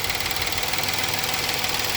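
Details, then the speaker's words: 2019 Kia Sorento 3.3L V6 after the unplugged cylinder 6 coil is reconnected: steady, even idle with no stumble, confirming cylinder 6 as the misfiring cylinder; coil replacement and spark plug inspection planned. "and back to running smooth so that confirms this is number six"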